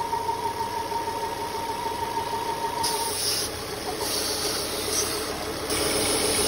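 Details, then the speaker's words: Volvo P1-platform engine (S40/V50/C30/C70) at idle: a thin, steady whistle that drops away partway. Crankcase suction past the oil fill from a torn PCV diaphragm in the oil filter housing, which is to be replaced. "Basically what happens is when the diaphragm tears on this, you get a high amount of vacuum in the crankcase that vacuum tries to seat past the oil fill, and it makes a sort of whistling or worrying noise."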